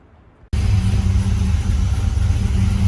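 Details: 1995 Impala SS V8 first start after PCM mount and custom-length plug wires, given a little throttle; catches abruptly and settles into a heavy, slightly uneven deep rumble, running very rich, tuning still to come.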